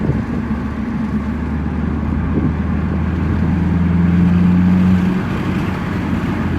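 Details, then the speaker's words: Stock 2009 Mazdaspeed3 on test drive after spark plug replacement: smooth low drone rising evenly under acceleration with no rattle or pinging; normally knocks by now but none heard, running smoother. "Okay, no knock yet. Normally there's knock by now. Still no knock. No knock. Definitely is running way smoother than it normally has."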